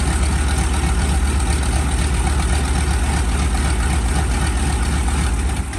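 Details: SB2C Helldiver engine on its first test run after an engine replacement, October 3, 2024: a deep, steady rumble with an even beat and no stumbles or rattles; it runs smooth and strong.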